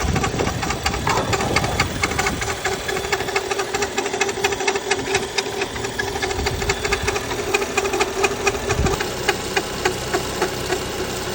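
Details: 2015 BMW X5 35i N55 engine idling with a rapid, uneven ticking and chatter from the front of the engine, caused by the drive belt and worn tensioner; fixed.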